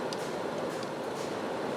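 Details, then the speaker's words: Jeep Compass with crank no-start from a failed auto shutdown relay circuit, relay terminals jumpered: the electric radiator fan runs at low speed with a steady, even airy whoosh and no ticking, rubbing or wobble. "it should turn on the fan here it's a low-speed fans running right now"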